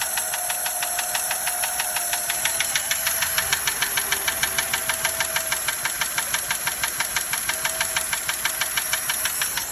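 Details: 1936 Daimler Light 15 just brought back to running; sharp even ticking about three per second over a steady idle, distinct top-end tick with cause unknown: engine ticking at idle.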